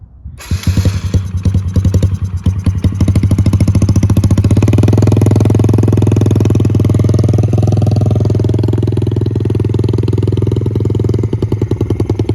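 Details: 2006 Yamaha TT-R50 small single with aftermarket carb cleaned and new battery, started on jump pack: fires, catches, and settles into an even, rapid putter with no misses; running normally after repair.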